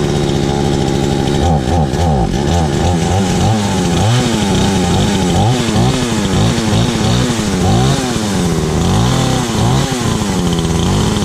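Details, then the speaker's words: Stark Chinese chainsaw after ignition coil replacement, test run: two-stroke picks up cleanly, revs up and down under throttle with steady firing, no misses; runs healthy, though choking kills it and kill switch doesn't work. "Yeah, choking it kills it. The kill switch doesn't work. Take that back off and see, but hey, it runs."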